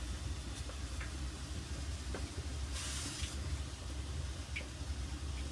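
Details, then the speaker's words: Kenmore Elite dryer model 796.81073310 (made by LG), steam refresh mode, sixth steam generator; low dryer rumble, burst of hissing steam and drip-like ticks as generator gurgles, squirts and leaks water onto the floor. "And then it starts steaming right. After all that, and then it starts steaming right. So, oh yeah, look at all that water."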